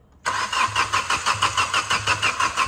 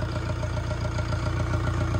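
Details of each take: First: Diesel engine hydrolocked after flood water, water removed, being cranked while injector lines are bled one by one with an 18 mm wrench: steady starter cranking with even compression pulses about three a second, no firing; air still trapped in the injector lines. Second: Diesel car engine restarted after hydrolock from flood water, after water was cleared from the cylinders and the injectors were bled: steady, even idle clatter with no misses or knocks; engine OK.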